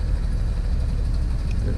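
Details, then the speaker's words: 50 hp Mercury outboard on a pontoon boat: idle drops too low, sounding slow and labored, and nearly stalls after starting fine at about 900 rpm. "see it it's not good it's running too slow in the end it will yeah it's going to die more"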